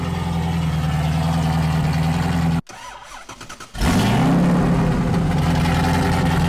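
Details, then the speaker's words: Chevy LS3 427 V8 in rebuilt Ultra4 race car after dyno tuning: even idle, brief cut, then clean restart settling into steady lumpy idle without throttle, which it had never done before; runs properly. "It starts and it runs and it stays started. It just actually started without me pushing the throttle."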